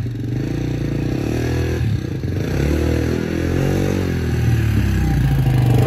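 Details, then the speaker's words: 1987 Honda XR250 single-cylinder four-stroke on the bench, good compression. Thump rises and settles smoothly with revs, firing steady and crisp with no knocks or misses; engine healthy, runs 'like a Swiss watch'. "But yeah, runs lovely, like a watch, like a Swiss watch or a Japanese watch, Honda Japanese watch."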